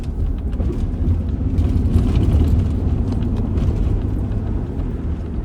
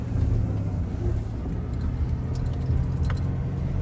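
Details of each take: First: 2000 Ford Ranger 3.0L V6 after cleaning mass air flow sensor, throttle body and idle air control valve: steady low rumble, no hunting or surging, idle holding even; normal idle, high-idle problem fixed. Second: 2000 Ford Ranger 3.0L V6 idling high with foot off the pedal, a steady raised drone; owner suspects a sticking idle air control valve, and the fix was cleaning a dirty mass air flow sensor, throttle body and idle air control valve.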